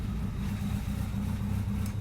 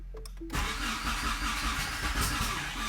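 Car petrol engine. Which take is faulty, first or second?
second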